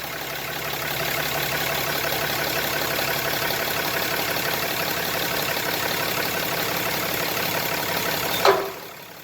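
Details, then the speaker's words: Lifted 2017 Ram 2500 idling while the steering wheel is turned: a single sharp pop from the track bar, which is visibly moving, coming through at its bracket bolt. "so that's where the noise is coming [Applause] from yeah so you can feel it all through the track bar and it's actually coming through right here on this bolt"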